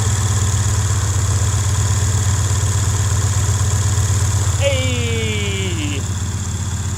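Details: Cadillac 300 HP Northstar V8 with a broken exhaust, started after a fuse was replaced and charging at 14.7 V: a deep, steady rumble with an even beat about four a second and no misses or knocks. Normal idle.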